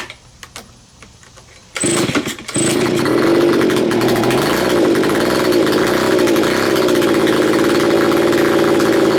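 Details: Neglected curb-found Stihl BG55 two-stroke leaf blower, first start after cleaning, choked: catches after a few pulls then holds a slightly wavering buzzy drone; owner says the carburettor needs adjustment.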